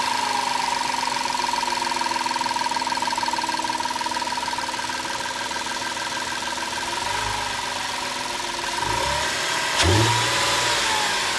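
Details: 2005 Audi A4 3.2 petrol V6 at idle: steady whine with a light, fast, uneven sewing-machine ticking. Source unidentified.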